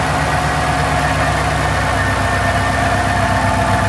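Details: Mustang idling after smoke seen: smooth even low rumble, no knocks, misses or ticking; idle sounds healthy though smoke cause unknown.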